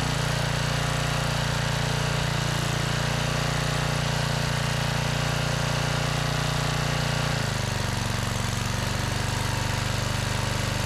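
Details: Generac 5000 W generator pulled from the trash, after the carburetor and kill switch wiring were fixed: small single-cylinder engine runs steady and even, shifting pitch slightly partway through, with no misses or knocks; healthy.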